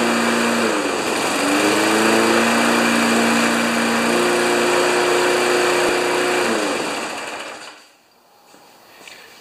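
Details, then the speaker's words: 1992 Wedgefield Briggs & Stratton Classic mower, first start after five primer pumps, with oil and fuel: runs at a steady high buzz, then cuts out and winds down. Owner suspects a dirty air filter. "man i tell you the old briggs and stratton classics i bet you the air filter is dirty but it started so it's a lot easier to fix a mower that's running"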